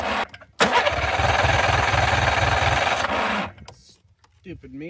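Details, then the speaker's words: '91 Yamaha Ovation snowmobile, unrun about five years, fed from an IV-bag fuel drip: steady starter cranking at about four pulses a second that never catches, because the handlebar kill switch was off. "There's a push button up on the handlebar here. And I had it off. That's your shut off. So, obviously, it wasn't going to run."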